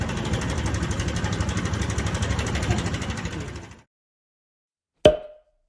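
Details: Honda Super Cub JA44 at 57,291 km, idling: quick uneven sewing-machine-like ticking rattle about three per second, then engine shut off; abnormal top-end engine noise being addressed.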